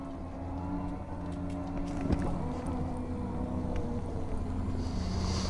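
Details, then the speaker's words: Jazzy 1450 heavy-duty front-wheel-drive power wheelchair, about one month old with one hour of use, rolling outdoors on solid knobby tires: steady low even-pitched hum from the heavy-duty drive motors, no knocks or grinding; normal. "you can hear the motors which is normal you want that because this chair has super heavy duty Motors you can hear the humming when you're outside"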